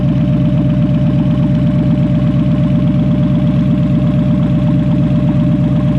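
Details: Smooth, even V8 idle with a steady low beat and no knocks or misses from a Toyota 1UZ-FE in a Lambo kit car with Link Monsoon ECU and coil-on-plug at first start after wiring; running healthy.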